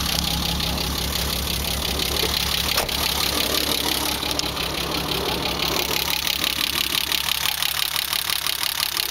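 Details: BMW E30 with M20B25 inline six, running rough after newly installed injectors and chip/ECU: lumpy, uneven idle beat with irregular stumbles and a hissy top end.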